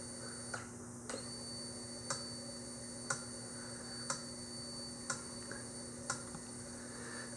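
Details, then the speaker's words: Yamaha XV1700 Road Star Warrior in diagnostic mode, code 37 for injector 2 after cycling the kill switch: crisp single clicks about once a second in a quiet room, the injector pulsing five times normally. "Kill switch off, then back on. You should hear the injector pulse 5 times along with the light."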